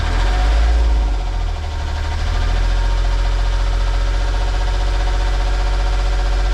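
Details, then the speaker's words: Volvo Penta marine diesel on a sailboat, started after a month unused, took some cranking: steady even idle, no misses or knocks, about 1,800 rpm, charging at 14 volts via new alternator excitation circuit; oil pressure alarm working. "That engine hasn't been started in a month. Took a bit of crank. 14 volts."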